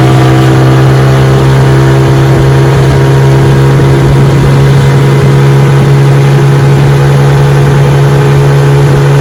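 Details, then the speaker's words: Restored 1957 Sea King 5 hp outboard on a bayou test run, pushing a 14 ft boat about 10 mph on a chilly morning: steady even two-stroke buzz at one pitch under load, no misses or knocks; runs great, normal running. "All right, we're out here on the bayou giving her a test run. She runs great. Pushing my 14 foot pedigraph about 10 m an hour."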